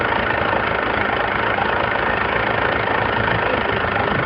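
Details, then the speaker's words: Mercury 115 outboard before rebuild, warmed up at idle with exhaust in a bucket of water: rough idle with a rapid hollow knock about four a second; piston slap from a scored, badly worn bottom piston with huge wall clearance. "And as it warmed up, it gets pretty noisy. We didn't know what it was all about"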